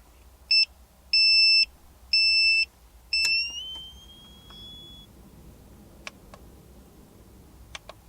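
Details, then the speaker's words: ALFFAA 1500 W inverter powering a Wagner Furno 500 heat gun, with a heater at 600 W as a resistive load: four sharp beeps trailing off as the inverter alarms and shuts down. Owner suspects the heat gun's pulse-mode supply. "Nope, it just does not like running that heat gun."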